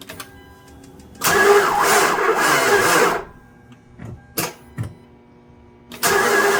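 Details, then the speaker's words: 2012 Hyundai Elantra, 148,000 miles, towed in, history of random stalling and timing chain trouble: heavy, dragging cranking bursts that never fire, starter current maxing near 200 amps; labored cranking from a mechanical problem binding the engine. "Yeah, we're just dealing with some mechanical problems here."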